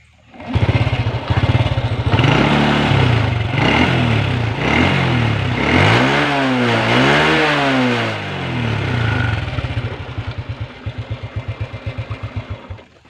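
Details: Honda Revo motorcycle about 20 years old, brought in for frequently fouling spark plugs, after its carburetor was removed and cleaned and its air filter blown clean: catches, revs climb and fall twice smoothly, then settles to an even, steady idle; normal.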